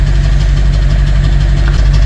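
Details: BMW 740Li V8 with cold-start vibration: low exhaust note at idle with uneven puffing beat and dropped pulses; misfire with P0300 code persisting after spark plugs replaced (wrong heat range found), coil suspected.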